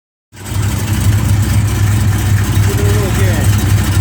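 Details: A big 454 V8 settles into idle with a steady thump about four times a second; the owner is trying to rule out a rod knock or a broken flex plate, and it is loud when driving. Source unknown.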